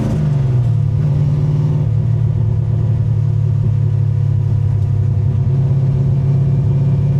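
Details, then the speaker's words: 1965 Grey Ghost V8 with 4.11 gears, cruising in third gear: steady deep drone with faint cam lope, which shows more below about 2100 rpm; running smoothly. "pretty good right this is third gear just chilling this car does have 141 gears in it takes off great"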